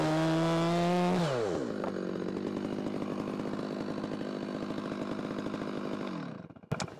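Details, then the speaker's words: Stihl saw after sitting unused, cutting wood: high scream drops to lower even pulsing in the cut then eases back; owner judges carb tune very close, maybe a hair lean, cutting well with a slightly dull chain. "so it is very very close it may be just a hair on the lean side but two-stroking in the cut for cycling when you let off the pressure it's a change in sound that after a while you kind of can hear it sounds okay to me it's cutting good"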